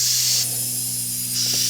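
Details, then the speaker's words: Steady high hiss of air rushing out of a tire puncture right after the embedded nail is pried out with pliers, before repair with a tire repair screw. "Can hear it just leaking out."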